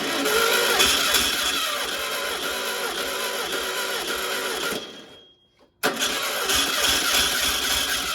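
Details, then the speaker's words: 1600 dual-port VW engine for a 1969 Karmann Ghia project, sat for an unknown number of years, mileage unknown: steady starter cranking about four turns a second, pause, more cranking, never catches. Fuel reached the filter but none seen from the carb; crank, no start. "I'm not gonna lie I had hopes that this would Roar to life an idol I think I was had too much wishful thinking seeing gas squirt yeah"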